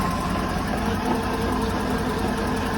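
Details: 2006 Mercruiser 6.2 marine V8 with new exhaust manifolds, warming toward 170 degrees during a Prestone coolant flush, no leaks found: steady even smooth low hum with no misses, knocks or ticks; normal idle.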